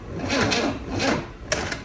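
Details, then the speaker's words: 1963 Chevy 230 inline six sitting about 35 years, battery down to 11.9 V, cranked on a borrowed deep cycle battery: sluggish labored cranking, no firing; possibly low battery, later no spark at coil. "That sounded marginally better. I don't know if that's the battery being low."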